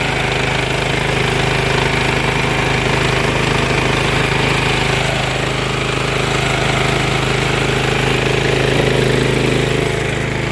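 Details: Briggs & Stratton Vanguard twin after carburetor work, running once its carb fuel solenoid got a full 12 volts: smooth, even, quick idle with a steady rapid beat and no misses; idle needs to come down.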